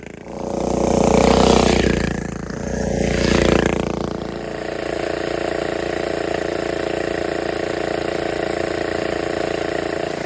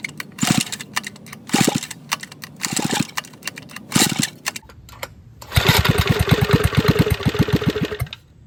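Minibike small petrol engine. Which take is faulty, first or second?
second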